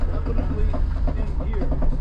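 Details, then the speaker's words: Rear wheel rattle and clunk in rhythm with wheel rotation while driving a used ex-police Ford Crown Victoria on a cross-country trip; something loose rattling inside the rear wheel, source not yet identified. "most definitely in here what is that I don't know what's rattling around in there I do not understand what's going on"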